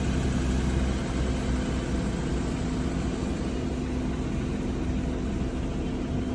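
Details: Audi Q7 supercharged V6 with cylinder 6 misfire code, coil pack swapped for testing: lumpy, irregular idle with occasional stumble; misfire stayed on cylinder 6, spark plug suspected.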